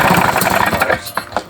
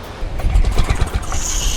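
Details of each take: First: Paramotor two-stroke during run-in, exhaust earlier rattled loose: fast buzz with a harsh metallic chatter, dying off at shutdown. A loose cylinder barrel is suspected. Loose cylinder rattle. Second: Paramotor two-stroke engine, restarted after exhaust rattled loose and engine problems: deep, fast drone building steadily with no misfires or rattles; pulling cleanly, sounding much better.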